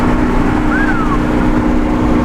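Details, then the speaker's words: C7 Corvette ZR1 V8 on back roads after new spark plugs and a carbon clean-out fixed its check engine light issue: smooth, strong engine note pulling under acceleration over road noise, no misfire, stumble or rattle. Normal running. "Oh yeah, guys, she is back. We are back in business. Listen to her purr. Woo! Heck yeah. Oh God, she sounds good."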